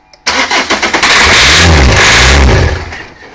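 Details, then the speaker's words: 2003 Renault Laguna 1.9 dCi diesel non-starter, cranked with ether while monitoring the fuel rail pressure sensor: spins over briefly, catches and revs on ether, then dies; no rail pressure builds. "no there's no pressure being built up in that rail according to that sensor so for some reason either fuel isn't get to it or there's some other malfunction that's preventing it from building up the pressure"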